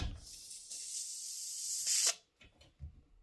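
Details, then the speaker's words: Heated towel rail bleed valve opened: steady sharp hiss of trapped air escaping before water comes out, valve closed abruptly after about two seconds; towel rails need bleeding more than normal radiators. "so if i open this you'll hear a hissing first and then water will come out and then as soon as you see the water come out close this as as soon as you can"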